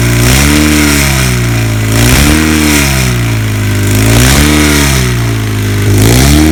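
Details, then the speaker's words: 1977 Kawasaki KZ1000 D6 (Z1) sidecar racer, first run after about 20-25 years stored: blipped up and down every two seconds, firing on all four cylinders but with a rough, uneven, funky exhaust note; cause unclear. "the regulator now that we have it running it's just a funky sound of pipe but it is running on four cylinders"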